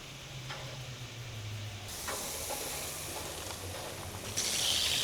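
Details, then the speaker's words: Thermomate portable on-demand propane water heater with battery igniter, temperature at maximum, full flow from a household faucet: burner fires up with a steady rushing hiss of water and flame, growing slightly louder, no popping or roaring; normal operation, comfortable hot water. "I hear it firing up in there. We're going to get, ooh, it's already heating up. We got hot water, people."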